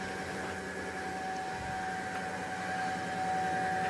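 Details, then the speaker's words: Electric fuel pump on a Dodge D100 with Holley Sniper EFI, powered after adding a sump, heard close up: a steady, even mid-pitched hum with no surging. It sounds much better and fuel pressure holds steady. "that thing sounds so much better now though and that fuel pressure does not budge"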